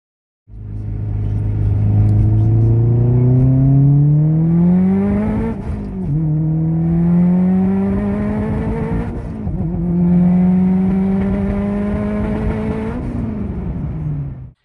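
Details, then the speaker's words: Subaru, turbocharged, on hard pulls under high boost; the revs climb but dip and bounce repeatedly as the spark is blown out, blamed on too wide a plug gap or worn plugs. "right guys so as you saw in the first video the revs we're bouncing a little bit and what that's caused by is spark not happening"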